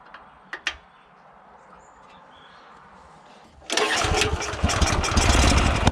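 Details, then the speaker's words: Honda GX340 petrol engine on an auger, new carb, won't pull-start, fires on aerosol start then dies; spark plug carboned: silence then a sudden rough, uneven catch. Hard starting; governor linkage suspected, not confirmed. "I still having trouble getting this thing to bloody start pulled the spark plug out it's pretty carboned up"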